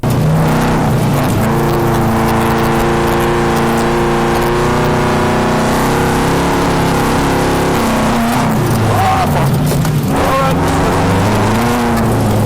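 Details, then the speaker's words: Subaru WRX-based drift car on new 750cc injectors, new map, TGV delete and new oil pump, first track day, fuel at 3/4, wet track: engine note drops out and stutters while held high through the slide; intermittent fuel cut under load, cause not found. "now fuel level was down a bit 3/4 and there was an awful lot of water on the track but we got this really weird fuel cut listen to this"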